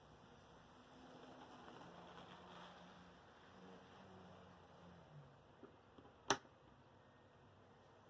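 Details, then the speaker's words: Athearn Blue Box SDP40 model locomotive with a new 24 V rare-earth motor and flywheels, run on a DC power pack with slight voltage-leakage buzz: low, smooth, quiet hum, no knocking or rattle; the motor runs well. "Now, I'd have to say that's pretty good. It's quiet."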